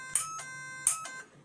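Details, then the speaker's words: 1970 Plymouth Duster with a 440 big block, nitrous system rewired after years unused: a front nitrous solenoid is powered directly by probe and gives two sharp clicks with a brief ring, energizing normally. "Now I'm gonna feed power to it, and we should hear the relay clicking, the solenoid clicking."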